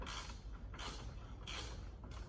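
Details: Club Car DS golf cart front leaf spring before repair, wobbling with nothing holding it because the bushing is missing. Rhythmic creaking bursts come about every 0.65 seconds as the loose spring works back and forth.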